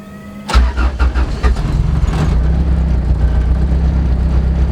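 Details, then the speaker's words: 1992 Honda Accord (CB7) track build, newly wired with a base tune from wideband air-fuel data, before its first test drive; brief crank catches almost instantly into a steady, even low idle; normal quick start. "all right and really quick just so you guys can hear this thing start up start it just so you guys can hear how fast it starts up"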